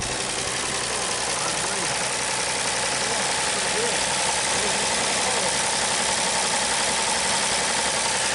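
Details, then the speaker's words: 1939 Chevrolet Master straight-six, running after 48 years of storage. Steady, even idle with a light hiss and no misses or knocks; sounds healthy. "48 years and this thing is running and moving. I cannot believe it. It's running pretty good."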